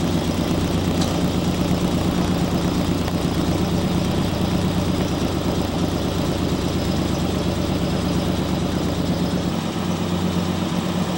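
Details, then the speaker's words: 1969 Camaro Z/28 after restoration (1992–93), heard outside the car: deep steady V8 burble with even lumpy beat, no knocks or ticks; normal idle. "I know you have no problem sounds awesome here huh it's got a really unique sound I like to hear outside the car okay what a sound Mystikal"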